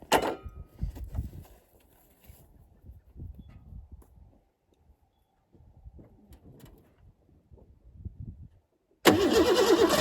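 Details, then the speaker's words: 1988 Ford Bronco II that stalled and wouldn't restart, given starting fluid: brief steady cranking, no firing; no fuel pump whir heard at ignition on, fuel pump suspected out. "So something's not right here. I think I have to take a closer look, see if the fuel pump is getting anything going."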